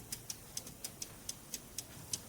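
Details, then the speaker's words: Clock, restored and reassembled with the mainsprings wound, strike train tested before the pendulum is fitted. Crisp, regular ticking with even spacing and no stalls; the strike is nice and lively and healthy. "That's nice and lively. So, that strike's going to work really well."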